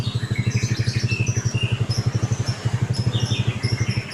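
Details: Carbureted Honda Beat scooter after repairing a broken ignition switch wire that prevented starting: steady putt-putt about four beats a second, no misses or rattles; even, healthy single-cylinder idle.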